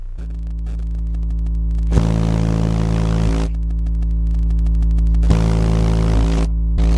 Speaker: as you heard the subwoofer had two serious source of distortion noise this can be fixed with glue it costs nothing